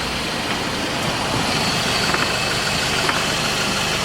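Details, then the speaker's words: 2007 Scion tC, manual transmission, after passenger-side CV axle replacement: light irregular metallic clicks at the wheel hub; owner hopes it's the loose brake rotor moving, wheel off. "But I'm really hoping that's the brake rotor moving around."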